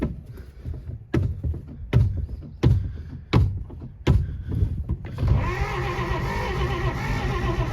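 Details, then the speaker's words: 1948 Pontiac Silver Streak straight six, sitting since early 90s, points sanded, old fuel hooked up: slow, heavy cranking then steady whir with no firing; no spark, owner suspects plug wires, and no oil pressure shown. "I think it needs the other plug wires but it's acting like it doesn't even want to run so I don't know"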